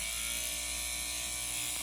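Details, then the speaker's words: Dog clipper with a 10 blade slipped on correctly, no attachment comb: steady, even high buzz with no rattle or pitch change; normal smooth running. "It's a smooth sound."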